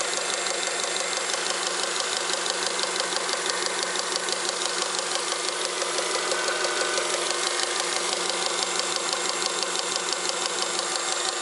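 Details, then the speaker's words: Honda Accord 7th generation, engine running: quick, even sharp tapping about three per second under the hood, suspected at first from the valve cover; power steering pump knock. "во время работы двигателя образовался какой-то подозрительный стук непонятно откуда идет"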